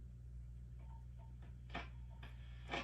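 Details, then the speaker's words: Sound City L100W MKIII tube guitar amp on the bench, current limiter removed: steady low hum, and taps on the chassis or rubbing a knob ring through the speaker as sharp thumps; preamp tubes microphonic. "Okay, so we just have a little bit of noise. It's not bad. Something's microphonic though. We'll find out what it is. All of the preamp tubes are incredibly microphonic."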